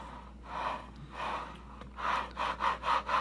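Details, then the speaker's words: Thrustmaster T.16000M FCS HOTAS throttle fitted with the Impulse slider using metal bearings, adding a slight detent: even rolling swish as the throttle slides back and forth, slightly loud but smooth. The bearings run fine; owner plans to try polymer bearings. "My only complaint about the metal bearings is they seem to be a little bit loud. So I'm definitely going to change out for the polymer and give those a try."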